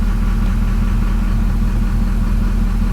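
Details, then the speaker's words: Duramax diesel at idle with pilot injection turned off and idle timing set back to zero degrees, running slightly quieter with no serious change in fuel consumption. Steady, even clatter with no odd knocks: normal idle. "see the engine gets a little quieter there's no serious change in fuel consumption"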